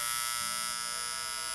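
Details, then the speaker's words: Seiko DP 690T flip clock alarm, opened: steady electric buzz with high metallic edge, made when two bars touch and pick up the coil's constant vibration, the coil also driving the motor; normal alarm buzz. "these two bars to connect and that's what's causing the sound and just separating them stops them so the vibration is actually always there it's only when they're brought together that you can hear it"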